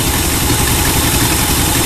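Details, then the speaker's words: El Camino 350 V8 with 500 CFM Demon 2-barrel carb, previously clogged by old ethanol gas, started without starting fluid: steady, throaty idle with an even beat, no stumbles or misses; normal idle. "Didn't have that ethanol shit in there. Yeah, that's idling all right, man."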